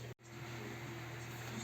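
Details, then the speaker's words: Desktop PC after repair (shutting off after 3 minutes, loud hum; failing 1 TB hard drive): revived CPU cooler now runs virtually silent, steady low hum and faint airflow from the large 120 mm fan, no rattle or grinding. "ребята кулер работает вообще не слышно вот этот гудит"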